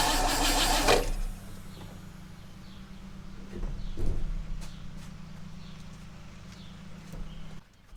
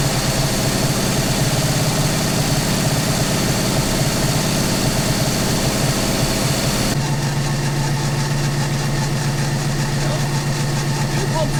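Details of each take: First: 1960 Oldsmobile Dynamic 88, sat for years, running on new 3/8 fuel line from jerry can: a second of loud cranking, then steady even low idle with no knocks. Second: 1960 Oldsmobile Dynamic 88 V8, first run after sitting a couple of years, fed from a jerry can through a new 3/8 fuel line. Low, uneven, loping idle that never settles; it runs rough and smokes.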